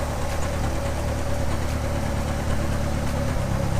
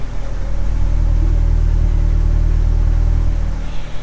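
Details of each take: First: Drift car with Bosch 044 fuel pump and cheap fuel pressure regulator, new O2 sensor plugged in: deep idle with uneven stumbling pulses and occasional thumps; rough idle and miss go away when O2 sensor unplugged, its signal suspected. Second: Drift car with new O2 sensor, cheap FPR and Bosch 044 pump: with O2 sensor unplugged the miss goes away, idle rises, steady even exhaust rumble from rear; sensor signal reads only 0.5/0.4/0 V, suspected faulty.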